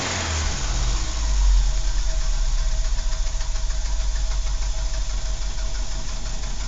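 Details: Renault 12 estate (break) engine: starts, then idles with a steady low rumble and a faint repeating tap on top; abnormal engine noise, cause unclear.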